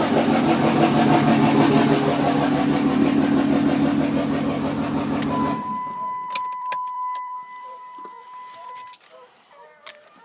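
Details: 2006 Cummins diesel with one or more suspected bad injectors, start and idle: clatters at a fast, steady idle with an uneven, lumpy beat for about five seconds, then shuts off; rough idle.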